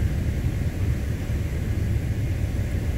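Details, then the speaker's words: 2014 Ford F-150 XLT 3.5L, blower set to its lowest setting yet roaring steadily as if on high; the PWM control voltage to the blower motor speed control unit is not high as expected at low speed. "is a very high voltage and i'm not seeing that that's why the blower motor is running really almost like it's on high speed"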